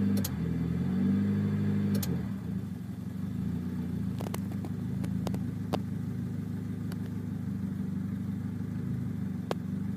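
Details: Honda EM2 D17A1 petrol engine idling unevenly, its low hum wavering as it struggles to hold steady and will not idle; cause was a failed ECM, possibly from a bad alternator or loose alternator mount.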